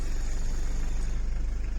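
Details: Mitsubishi Delica/Pajero 2.8 diesel after throttle cable and idle speed adjustment: even, deep beat with steady firing pulses and no shaking rattle; idle now smooth with revs raised slightly.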